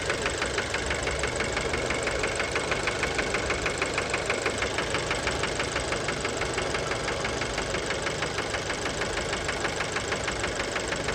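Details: Fiat Bravo 2, 1.4 T-Jet 150 HP, 215,000 km, recently serviced, recorded close to the engine at idle: sharp, regular knocking about three per second, a deep metallic rap. Worn rod bearings; cause unknown, car scrapped.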